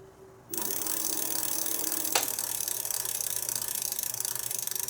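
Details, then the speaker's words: Aniioki A8 wheel after brake bleeding and re-tightening the caliper: freewheel pawls click rapidly and evenly as the wheel spins, with no scraping from the rotor; no rub, and the brake works. "Sounds like nothing touching. And the brake's actually working. Perfect."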